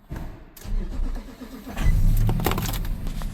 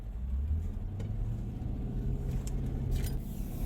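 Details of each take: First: Key-fob vehicle during scan-tool relearn procedures: uneven starter churning for well over a second before the engine catches and settles; slow to fire, cause unclear. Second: 2018 Nissan Titan road test: engine pulls hard, revs climbing smoothly under full throttle, no fuel cutoff or stumble; runs fantastic, normal acceleration.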